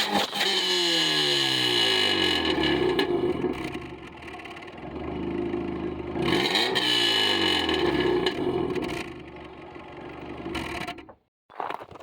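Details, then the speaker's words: Subaru revved after the mass airflow sensor was thoroughly cleaned: revs climb and fall smoothly through several blips, then settle and pick up cleanly with no stumble. The engine is now running right. "Fixed it. Well, we got the Subaru running right."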